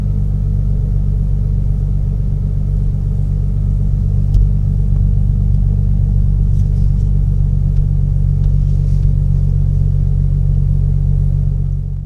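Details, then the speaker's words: Infiniti G37/Q60 cruising after a $20 sound-deadening fix, with no resonator and the exhaust untouched: deep, steady low rumble in the cabin, little high-pitched noise; drone noticeably subdued, decibel meter showed a significant drop. Still loud under throttle, then quiets. "So I can already tell this thing is so much quieter now. The decibel meter showed that, a pretty significant drop in volume, but just living with it, it is a lot different."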